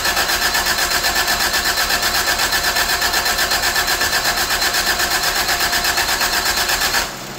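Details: 1985 Toyota Tercel after a carburetor swap, with the distributor vacuum lines not yet connected: steady cranking at about four beats a second that never catches, then cuts off, with the choke side wet.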